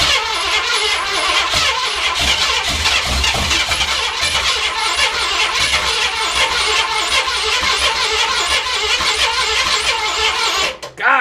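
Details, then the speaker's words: Wasteland project car (Outrider Interceptor), first start attempts: steady fast cranking with uneven, ragged firing and some smoke, never catching; owner suspects a fuel issue and an empty carburetor bowl needing filling. "close man I can hear it trying man it's a damn fuel issue I can tell we getting some smoke in here things is happening"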